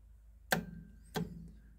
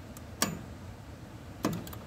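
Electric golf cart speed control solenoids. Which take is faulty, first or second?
first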